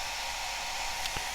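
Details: Cascade DS-925 hair dryer, after crimp repair of a no-heat fault, on low setting with temperature probe rising toward 50–60°C: steady airy fan and motor hiss, even airflow, no rattle; running normally and heating again.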